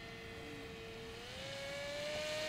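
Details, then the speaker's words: BULLET v9.0 pusher RC trainer plane after prop change, throttle opening to full: smooth electric motor whine stepping up in pitch, clean and even; full-throttle top end now usable, no longer rough; normal run-up. "Full Throttle much better much better like we were wasting the whole uh top end of your throttle"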